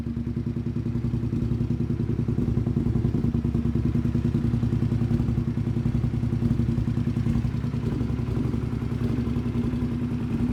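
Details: Custom motorcycle built from two bikes, first start after the engine swap; uneven low chugging with clattery beats about three per second; running very badly, cause unknown.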